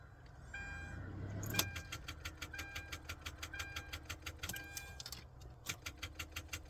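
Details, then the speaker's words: 2010 Hyundai Santa Fe in wintry weather, dead about 15 hours after being parked, gives rapid clicking about three a second over a dash chime while boosted but never cranks; suspected bad, corroded battery terminal. "wow the battery is really dead cuz that boost pack was full I think it's a bad terminal maybe well terminals like that are never what you want to see"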